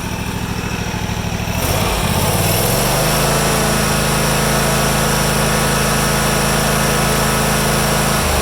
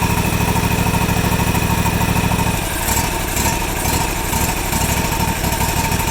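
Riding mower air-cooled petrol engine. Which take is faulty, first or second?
second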